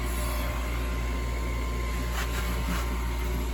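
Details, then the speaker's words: Gas furnace at startup with a hot surface igniter; the gas was just turned on for a controlled firing. The inducer blower spins up with a steady low hum and no rattle or scrape: the inducer motor runs normally. "So inducer motor runs. What do we have?"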